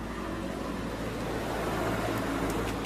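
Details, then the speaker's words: Honda Vario 125 engine after a full rebuild, idling: a low, even single-cylinder idle under street noise with no knocks, smooth again unlike before; normal idle. "Nah jadi seperti ini kondisi sekarang ya Nah tinggal dicek aja suaranya sudah halus kembali beda dengan yang pertama kalinya"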